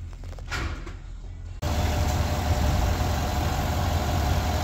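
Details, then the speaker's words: 2021 Chevy Suburban 5.3L V8 after repair of a cylinder 2 misfire (P0300, P050D), where cylinder 2 had been dropping out: an even, stable idle with all cylinders working and zero misfire counts. "lo tenemos ya el gatito ronroneando está estable ya está trabajando todos los cilindros bueno el número dos pues el que tenía problemas verdad"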